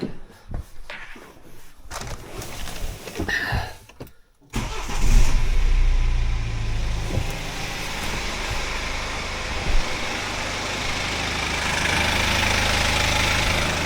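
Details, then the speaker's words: BMW after automatic transmission fluid flush (9 L exchanged): engine cranks, catches and settles into steady idle with a light metallic clatter on top, pointing to a noisy timing chain. "La chaîne, elle fait du bruit, hein."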